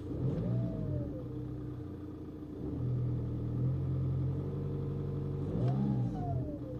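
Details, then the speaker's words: VW 2.0 TDI BKP 140hp diesel after the turbo was removed and its geometry cleaned, AC on, revved. A thin whistle still climbs and falls with engine speed; possible play at the axle. Cleaning did not fix it and a new turbo is needed. "unfortunately there is still that sound to stop the AC on cure it [Music] isn't that obvious but definitely something going on"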